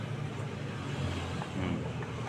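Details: Automatic scooter (matic, Mio mentioned) with a loose, worn rear CVT pulley that ruins its drive belt within a week: an uneven, gravelly low rumble from the belt drive with no clean tone. Rough CVT noise from the worn rear pulley.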